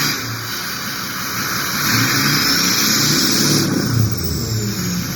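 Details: Ford 6.0 diesel with VGT reading stuck at 0.84, fluctuating on revs, warming up: smooth high whistle climbs with engine speed and drops cleanly off throttle; normal turbo spool.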